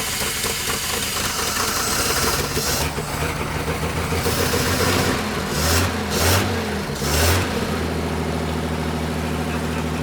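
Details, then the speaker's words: Abandoned 1947 Dodge ex-grain truck, first start after sitting, on full choke: fires and runs unevenly with loud surges in engine speed, charging but not running happily; cause not pinned down. "And it's charging. Uh-oh. Uh-oh. She's not all the way happy."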